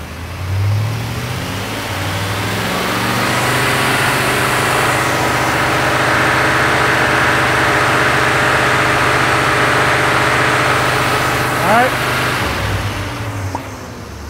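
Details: Engine held at about 3000 rpm during distributor tuning, total timing measured at 40 degrees: steady, even high rev with smooth unbroken tone, no misses or knocks; sounds healthy.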